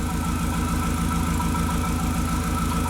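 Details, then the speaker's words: 2001 VW Jetta Wolfsburg 1.8T: the cylinder 2 misfire persists after swapping its coil and plug with cylinder 1. The idle stumbles steadily about three beats a second with a lumpy exhaust pulse; the cause was a faulty engine computer. "I swapped them with number one and it didn't change anything we still have misfire on number two"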